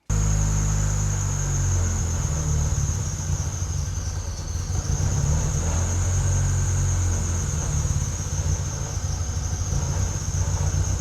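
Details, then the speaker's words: 7th-gen Honda Civic with a supercharged K24 swap: an uneven, surging low rumble with a faint high whine. It is running super lean, with fuel pressure swinging between 20 and 80 and wildly fluctuating air-fuel ratio. A fuel pump problem is suspected. Rough running. "This air-fuel um is fluctuating wildly as well. So, I don't smell any gas. I don't think any gas is leaking. Uh it sounds to me like we might have a fuel pump problem."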